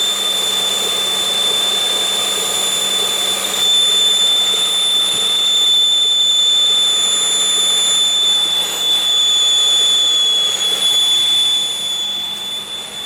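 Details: 2001 Pontiac Aztek GT after reassembly: steady thin high-pitched whine at unchanging pitch over the engine, the ear-piercing scream since rebuild; source unknown.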